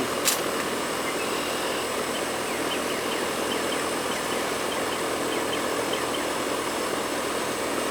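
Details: Trane central AC condenser that wasn't cooling the house, after the bad capacitor was replaced: even, steady airy rush with no clicks, buzzing or surges. Normal running.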